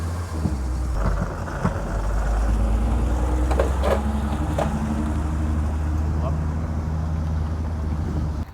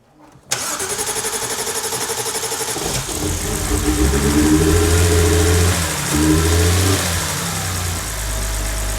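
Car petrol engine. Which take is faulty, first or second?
first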